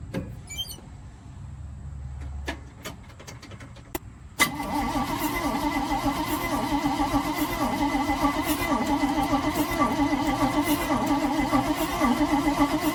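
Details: 1971 Chevrolet C40 truck after carb cleaning: the starter churns steadily at about four beats a second but the engine never fires. Crank, no-start.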